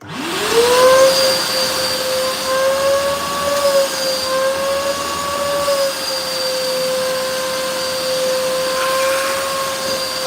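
Motor spins up to a steady, even high whine around five hundred hertz and holds there with an airy hiss; the vacuum runs normally.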